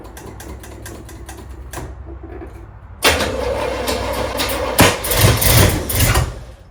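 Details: Trans Am with 403 Oldsmobile V8, first start after install, some grounds not yet connected: quick cranking ticks, then catches with loud uneven bursts and surging rumble; rough, stumbling first start, cause unclear.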